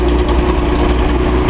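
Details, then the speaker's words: Nissan 280Z L28 six after a misfiring injector was swapped, warming with the radiator still cold: a low steady idle with a faint uneven exhaust burble. Owner is unsure whether it is more than normal. "Still a little bit of a burble I don't fully understand. But I don't know if that's any more than normal."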